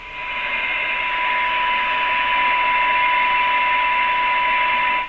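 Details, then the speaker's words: 50-year-old Tram Titan IV hybrid CB base station, signal generator on 27.205 MHz at −107 dBm: clean steady test tone over soft static hiss without fading, about S3; receiver still picking up weak signals. "and as you can hear it's still receiving we had a S3 yet minus 107 dbm"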